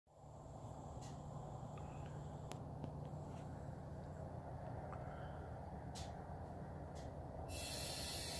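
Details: 2017 Dodge Charger 6.4L, engine off after sitting in garage an hour: steady soft hiss over a faint low hum, no rhythm; something venting, cause unknown.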